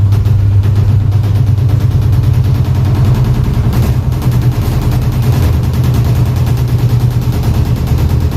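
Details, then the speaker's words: Automatic top-load washing machine about 5–6 years old: heavy, rapid thumping and deep rumble during the spin cycle, getting louder and louder as the drum knocks the cabinet; owner suspects the suspension rods. "它等一会儿只要脱水的时候，它就会咣当咣当的响，越来越响，越来越响。"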